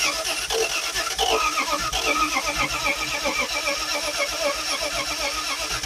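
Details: Car off the road for 40 years, distributor fully advanced, extra fuel in the carburetor, weak battery charger: ragged, irregular, stumbling misfire, with a valve found stuck again.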